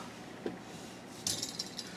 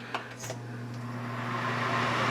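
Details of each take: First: Samsung oven fan motor turning slowly with light metallic ticks and rattles as the bent fan blade, loose on its hub, wobbles and catches; source of the oven's noise. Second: Samsung oven after repair, with fan motors reinstalled to spin the right way: a quiet, smooth, even fan hum with no scraping, rattling or ticking, so it is running normally.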